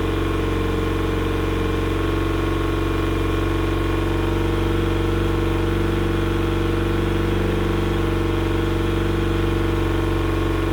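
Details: Yamaha outboard repowering a 1980/81 Sun Tracker Party Barge pontoon, at spring startup after years unused, before carburetor flushing: steady, even four-stroke idle with no misses over a long run; whatever was troubling it appears to have passed through.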